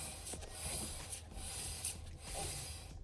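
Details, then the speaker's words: KTM 1290R motorcycle with a grabby brake caliper, wheel turned by hand after a UK winter: dry scraping rub that swells and fades each pass, pads dragging; calipers to be removed and cleaned. "So you can hear the friction. So I'll just take these calipers off and just give everything a bit of a clean."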